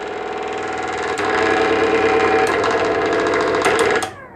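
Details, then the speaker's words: Kitchen mixer grinder motor running at the switch: loud, rough, raspy roar with a steady hum and uneven rattling, dimming the room lights as it draws heavy current; suspected burnt winding, possibly internal sparking, to be checked with a clamp meter. "देख सकते हैं यह कितनी बुरी तरीके से आवाज कर रहा है और साथ ही साथ जब यह चल रहा है तो इससे जो हमारा वोल्टेज है जो हमारी लाइट है वो प्रभावित हो रही है"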